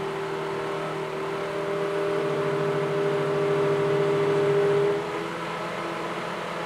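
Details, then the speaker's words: Suburban DD-17DSI furnace blower motor in a roughly 22 ft Nomad trailer: steady whir rises to a high hum then kicks down after about three seconds; motor tightening up, surging and drawing extra power, due for repair or replacement. "you can hear the motor it's high and then it'll kick down a little bit don't make a liar out of me"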